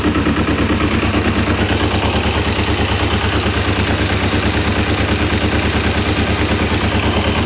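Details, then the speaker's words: 1994 Kawasaki Ninja 250 (ZZR250) after years sitting: hard regular knock about three times a second at low revs, vanishing when the clutch is pulled in; owner suspects the clutch basket, unsure. Low-rpm knock. "certainly you pull the clutch and the noise disappears um yeah you feel the clutch in that noise disappears it seems to be coming from the clutch end clutch basket"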